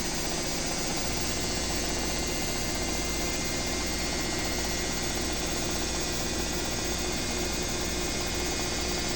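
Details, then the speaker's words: Own BWS24 washer on 4-minute spin program at full speed: smooth constant hum with faint steady whine, no banging or grinding, unlike the neighbour's noisy Midea. Normal quiet spin cycle. "A minha única coisa que se escuta é o grito. Quando tá tranquila."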